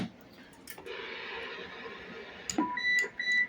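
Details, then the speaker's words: RCI 2980 base radio on test, keyed with a Cobra 90: after a stretch of hiss, short, clean electronic roger-beep tones come through; the roger beep works normally. "Roger beep, you can hear it in the background."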